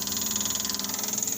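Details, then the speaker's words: Fuel pump priming normally with the key on: high, steady electric buzz with a quick even pulse. Wire was jumped straight to the solenoid as a test, pointing to a faulty wire as the no-start cause. "All right, we're gonna try to hit the key now. As you guys can hear the fuel pump."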